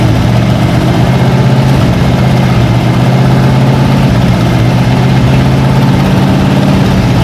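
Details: Long-sitting 1956 Oldsmobile 88 after new plugs and filling the carburettor bowls: low, even idle holding one steady pitch with no misses, knocks or surges. Normal idle.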